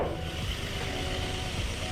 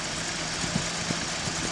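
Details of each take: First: 1981 Datsun 280ZX after new fuel injectors and service, previously losing power and idling rough: steady, even idle with smooth low hum and no misses or stumbles; engine idles cleanly. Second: 1981 Datsun 280ZX, which had power loss and rough idle, idling after new fuel injectors and service: constant airy hiss over the low engine beat from an uncapped vacuum port that needs plugging; vacuum leak hiss at idle.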